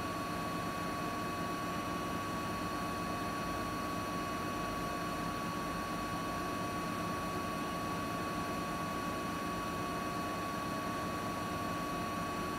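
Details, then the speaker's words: Siemens iQ300 8 kg 1000 rpm washing machine on spin program, extra rinse off, wet laundry load, spinning at about 1000 rpm: smooth even rushing hum, steady tone, no knocking or rubbing; normal healthy spin, no fault. "Makinemiz şu an ortalama 1000 devirde sıkma yapıyor arkadaşlar. Bu makinede hiçbir şekilde herhangi bir sorun veya arıza yok."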